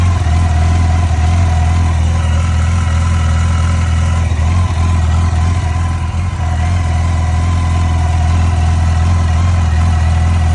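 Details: Yamaha FJR1300 motorcycle engine idling steadily with a light ticking riding over the exhaust beat.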